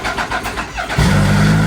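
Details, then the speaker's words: Motorbike, 8,727 km, starting: brief cranking, then catches at once into a steady, even idle; previously it cranked over with great difficulty, now a clean start. "See? Starts up great. Like before, it would have a super hard time to crank over."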